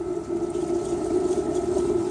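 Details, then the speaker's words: Power steering fluid change, extracting fluid from the reservoir: a steady whirring suction with gurgly hiss as it pulls air; reservoir sucked mostly empty, with some oil still left in the system. "sucking the air through there now. So there is going to still be a fair bit of oil in the nooks and crannies in there, but at least we've got most of it out."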